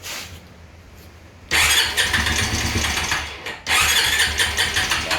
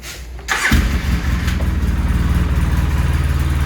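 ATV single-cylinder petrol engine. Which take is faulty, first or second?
first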